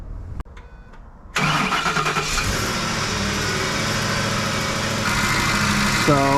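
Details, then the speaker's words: 2010 Ford F-150 5.4 V8 after replacing the alternator and serpentine belt: short crank, then catches and settles into a steady, even idle with no belt squeal, belt intact: normal start and idle. "So that's promising. Belt seems to be intact."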